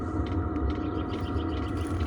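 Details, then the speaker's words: Chinese diesel air heater, newly installed in a wooden box for a cargo trailer: a steady low throbbing hum of even burning after start-up, with faint fuel pump ticks underneath. Running normally. "you can see it's all starting up kind of hear the tick of the pump"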